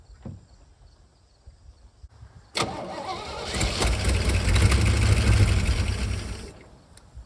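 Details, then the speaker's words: 1955 Chevy 6400 2-ton dump truck revival, with the distributor loose: it cranks, catches and runs roughly for about four seconds, then dies. Owner says it needs a fuel pump, wiring and probably timing adjustment. "I would say that counts as running. Looks like we're gonna need to do a little bit of wiring too. She runs, doesn't sustain yet."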